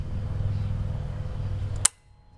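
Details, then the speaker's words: Airco CNC optical tracer gas/plasma cutter, Westinghouse Linatrol HL-90 controller, with no gas connected: steady low hum ending in one sharp click as the gas solenoid switches; solenoid operates normally. "can hear the uh the gas solenoid operates we have no gas hooked up to it"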